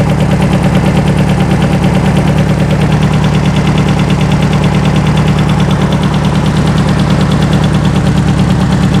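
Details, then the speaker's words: Circa-1970 sand rail, 2.2L engine with dual 44 IDF carbs, revived from dead: loud rhythmic popping over a lumpy, rough engine note after fitting the distributor cap. It backfired out of a carb, one barrel is way off, and the owner suspects bad valves. "I hear a barrel kicking in hey you can hear the engine speeding up"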